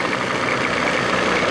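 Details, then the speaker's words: 1987 Johnson 40 hp two-stroke outboard in the water, throttle bumped to the first line. An even two-stroke burble at slightly raised idle with no misfires, and the telltale shows the impeller working: normal fast idle. "that's the indicator tells you your impeller is working to throttle up just a bump on the first line Second Line whatever you want to call it now it sounds like it's supposed to"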